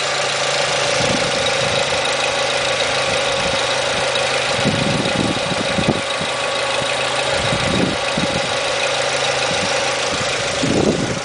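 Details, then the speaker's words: 2000 Renault Scenic 16-valve, about 85,000 miles, previously running on three cylinders, after all four ignition coil packs were replaced: smooth, even idle with clean throttle blips that rise and fall crisply without stumble; now runs perfectly. "well half an hour later it's running letting you know perfect"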